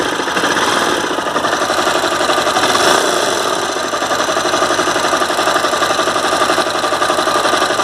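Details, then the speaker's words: Honda CBR 250R single at idle: fast, busy metallic knocking about four per second, present every time for the last month. Service center blames the crankshaft and says the full engine needs replacing; owner doubts it. Engine knocking, cause unconfirmed. "Each and every time I'm facing this problem for the last 1 month, and the service center says that there is a problem with the crankshaft and full engine you have to replace, but I don't think that the problem with the full engine."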